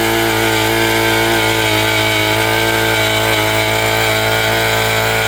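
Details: Predator auger that would not stay running or start, after replacing corroded broken fuel lines, priming bulb and pulling on start: steady, high-revving buzz holding even without stumbling or dying, engine running healthy.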